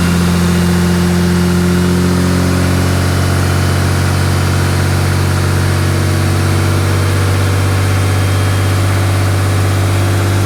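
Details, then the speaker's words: 6.7 Cummins diesel just after installing a Fleece 10mm stroker CP3: steady, even idle clatter with smooth low drone, no knocks or misses, and no leaks seen; engine idling healthy. "i didn't see any leaks it started up it ran as you can hear uh it really wasn't that bad"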